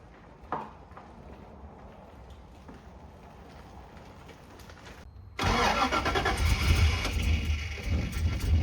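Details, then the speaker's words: LS V8-swapped Nissan 240SX S13 at first start and drive: after cranking, a loud raspy rattly roar that swells with revs, from a hastily rushed exhaust that sounds terrible and needs redoing. "So, as you can hear the noises coming out of this exhaust are not good. There's we rushed the exhaust just to get the car running."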